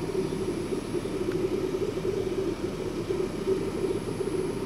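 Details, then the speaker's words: Kroak LM21 car fridge clicking on, with a quiet, even low compressor hum and a faint gurgling, bubbling noise: normal compressor running. "like most fridges you can hear it when it clicks on and you have that little compressor sound in the background"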